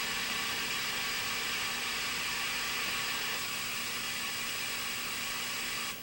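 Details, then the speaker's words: 1982 Bally Midway Robby Roto arcade PCB running with bad Astrocade chip: channel two has no game sound, only steady hiss with faint irregular popping; channel one works and game is playable. "there's just no sound on channel two but it is playable with the bad astro kid chip it's trying you can hear it popping"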